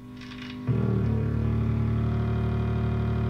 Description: This video includes a sound clip of motor-boating and discusses how to fix the problem.